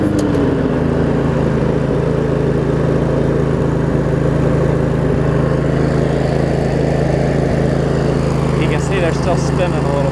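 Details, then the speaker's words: Craftsman riding mower, Briggs & Stratton V-twin, after shift hub repair, started on choke and driving: steady low even drone, no misses or knocks throughout; running pretty good. "it's actually running pretty good here still turning"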